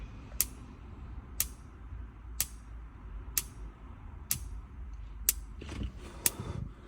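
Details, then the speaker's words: 2002 IH motorhome grill with automatic ignition on pushing in the knob: sharp spark clicks about once a second, seven in a row, over quiet background; grill igniter working normally. "you get an automatic ignition when you push in around on this one here for the grill or the oven"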